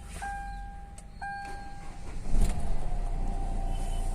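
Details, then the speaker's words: Hyundai Verna 1.6 diesel, previously cranked but wouldn't start with P1693 immobilizer transponder error from faulty key chip: chime, short crank, engine catches cleanly into steady, even idle. "और आप देख सकते हैं गाड़ी start हो गया है"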